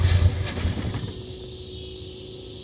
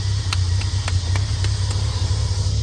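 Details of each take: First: Triumph TR6 being run off an electric fuel pump, choke possibly not working. Repeated cranking bursts catch briefly, then die away between tries. The fuel mixture is suspect. Cranks but won't keep running. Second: Triumph TR6 running on its own off an electric fuel pump, oil not yet changed. A steady, even low rumble at a settled idle with no misses or knocks. Normal idle.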